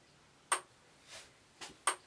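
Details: Electric fence energizer swapped in, reading about 13–14: sharp crisp ticks roughly every second and a half in a quiet room; energizer pulsing normally.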